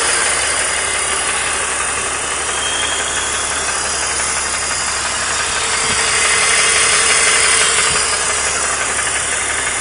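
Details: 2003 BMW 330i E46 M54B30, 158k miles: steady idle knock about three per second with rattle underneath; owner believes bottom end, possibly piston slap, after severe overheating; head replaced from another car; present 50,000 miles, runs fine.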